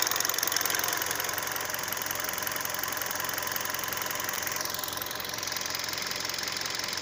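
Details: 2012 Hyundai Solaris 1.6 automatic, 130,000 km, fully warm idle; sharp, fairly regular knock about four per second, appeared after an oil change, loudest at 80° oil/coolant, fades when hotter; owner suspects piston slap; engine knock at idle.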